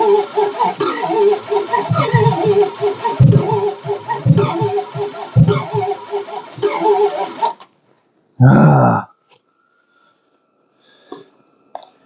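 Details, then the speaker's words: 1969 Imperial LeBaron off the road over 30 years, cranked on a jump pack: long crank with uneven, ragged chugging and occasional catches before quitting. Misfire, not sparking on all cylinders; owner thinks it needs plugs; Marvel poured down cylinder. "it was getting it was getting enough power it was lifting up the The Hiway headlight that's funny yeah it's not sparking on all the cylinders that and the batter's dead"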